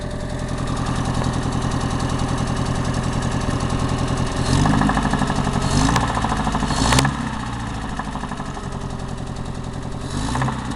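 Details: ARO engine idling with a few light revs: rough, irregular knocking runs under the exhaust beat; engine knock, source unclear.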